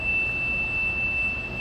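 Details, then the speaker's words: Core Stripper CS-66 hydraulic machine start-up: after disconnect on, master stop reset and master start, a steady high-pitched warning horn sounds for about two seconds before the hydraulic power unit starts; normal start-up horn. "Master start, you'll hear a horn for 2 seconds. After 2 seconds, you'll see the hydraulic power unit start"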